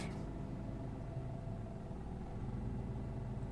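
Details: 2003 Mitsubishi Galant 2.4L four-cylinder idling low around 650 rpm; after shutting off blower/electrical load, uneven idle sags nearly to stalling. Past codes P0506/P0507, IACV already replaced; owner later fixed it with a brand-new throttle body.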